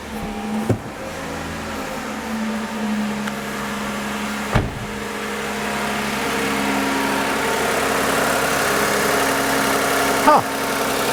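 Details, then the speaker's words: 2014 Toyota Avalon 2GR-FE engine at about 11,000 miles, condemned as blown by two shops after a single overheating event; on start-up it idles smooth and steady, even tone, no ticking or knocking, sounding perfectly healthy. "I don't know about you, but to me, this sounds like a perfectly healthy 2GR FE engine. Sounds pretty good."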